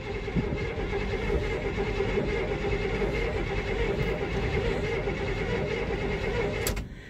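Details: 1975 K20 truck, parked since November after weeks of sub-zero cold, about 22 degrees: starter cranks steadily for several seconds with no fire, then stops; owner suspects no gas up at the carb.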